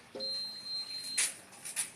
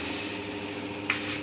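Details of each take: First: MD large steam (mist) fan model FA0555 (caption F-A055R), plugged in and tested before repair: beep and button clicks, speed buttons pressed but fan motor won't turn, steady buzzing hum; owner suspects fan motor fault, to be dismantled. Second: MD F-A055R evaporative air cooler fan, motor previously sluggish and groaning, after repair with capacitor on top: smooth, even hum with strong airflow across speeds and swing, quiet; normal fan motor running.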